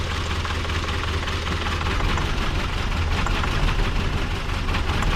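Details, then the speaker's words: Ford Triton 4.6 V8 truck not run for years, likely on 15-year-old gas: deep uneven idle that lumps and stumbles, running on about six cylinders, some water from exhaust; rough idle misfire, cause suspected. "I mean, this old Triton 4.6, it's a V8, but it ain't running on 6 cylinders, but it's gonna run, ain't it?"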